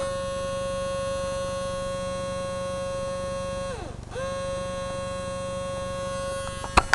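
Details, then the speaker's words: RCA CMR300 VHS camcorder, owner guesses 1980s-made: steady high buzz dips briefly, returns with a few clicks; tape stuck, won't play or eject; owner thinks something is stuck, unsure whether the belt broke, fell off or broke inside. "Yeah. I hear that weird buzz. I think it's something stuck. I'm not sure if the belt was got broken, fell off, or maybe the belt got broke inside."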